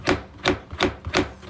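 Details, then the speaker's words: Honda Jazz GK driver-side front wheel arch: dull plastic slaps, about three a second, at over 100 km/h from the mudguard liner flapping due to a missing clip; fix is replacing the clip. "เลยมาพบเนี่ยจุดนี้นะครับก็คือปุ๊กเขาได้หายไปนะครับน้าๆทุกท่านปุ๊บเขาจะเป็นลักษณะนี้ประมาณนี้นะครับได้หายไปก็เลยเวลาวิ่งในความเร็วสูงนะครับตัวพลาสติกซึ่งบังโคลนตัวนี้ก็จะกระพือนะครับแล้วก็จะ"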